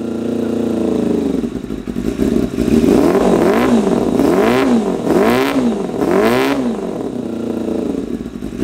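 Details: 1988 Kawasaki ZXR250 road bike, first start of rebuild: blipped revs rise and fall sluggishly with uneven blubbery edge; running ridiculously rich, shooting flames, idle mixture screws set 3.5 turns out, to be addressed.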